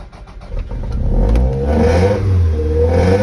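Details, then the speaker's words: Toyota MR2 mid-mounted 2.0-litre engine in neutral, with a coolant foaming and loss problem and a suspected head gasket leak, catches then revs steadily with no knocks or misses; the engine itself sounds healthy. "Lovely, isn't that? Doesn't that sound nice?"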